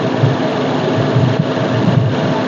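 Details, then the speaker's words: Maruti Baleno RS Boosterjet petrol engine idles with a steady low hum and even firing, no hiss or whistle, after the vacuum pipe that had slipped off its port near the air filter was plugged back in. "अब इसमें कोई भी sound नहीं आ रही है, ये निकल गया था, जिसकी वजह से जो है एक तरह की साउंड आ रही है"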